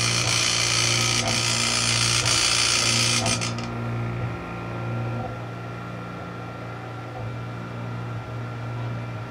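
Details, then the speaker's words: Eight-mirror scanning club/disco light, one stepper motor unit plugged in on the bench: harsh, fast, regular buzzing chatter about four per second, then cuts out; motor apparently not screwed in properly, rattling in a loose mount. "okay so I think maybe it wasn't screwed in properly that's probably why it's making so much noise"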